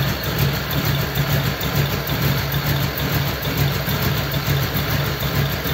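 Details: Model A roadster's old V8 (about 276 cubic inch, 4-inch stroke) idling after a year under a tarp, electric fan removed so it is run only briefly, generator belt misaligned: a steady, even low throb, no knocks, misses or surges, running smoothly.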